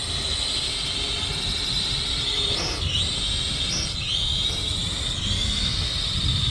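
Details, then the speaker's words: Holy Stone F181C camera drone in flight: high whistling whine swooping up and down like a siren as motors surge rapidly; flight controller fighting the wind and itself, oscillating and causing wobble. "So the flight controller is kind of fighting the wind a little bit and itself, and so you get a lot of wobble."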